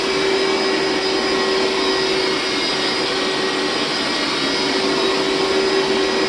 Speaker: All right, that noise means that the recovery tank is full, so I need to go empty it.